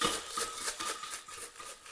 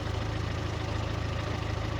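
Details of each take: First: you can hear the muffler rattling there, that it's completely disintegrated. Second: Fiat Seicento with a recently rebuilt engine, after crash repair and a new complete exhaust: steady, even low idle with a smooth exhaust note and no rattles or puffing leaks; engine sounds healthy.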